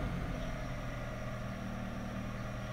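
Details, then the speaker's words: 2003 Honda CR-V, K24A1, AC pressure switch bypassed with a paper clip, owner suspects a slow refrigerant leak; at AC on, steady idle with a faint whine as the compressor clutch engages and rpm drops; normal clutch engagement. "if i turn my heater on or my ac on now i can either clutch engage my rpms drop"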